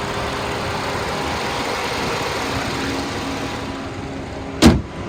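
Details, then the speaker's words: 2016 Ford Taurus Police Interceptor, automatic, 59,296 miles, 7,957 engine hours, check engine light on, front-end collision damage with broken front driver's axle; steady even idle with AC fan running, no misses or knocks, one door clunk; normal idle. "The motor sounds good. It only has 59,000 original miles. It idles smooth, it revs up nice."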